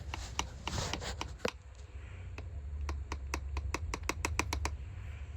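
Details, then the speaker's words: 2018 Hyundai Elantra 2.0L automatic, removed front left (driver's side) CV axle flexed by hand: sharp dry clicks in quick bursts of about a dozen, quiet room; worn CV joint with play, clicking. "when you're driving down the road. Some don't quite sound right and you got a front-wheel drive vehicle. Probably your CV axle."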